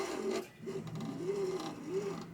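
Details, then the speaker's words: Tronxy/Alfawise X6A 3D printer: the axis moves back and forth with a rising and falling motor hum and a dry scraping rub on each pass. The belt is catching somewhere; the Y-axis belt mount is suspected. "uh it tightens up the belt enough but the belt seems to be catching somewhere i'm hearing a little bit of i don't know if you can hear that or not but"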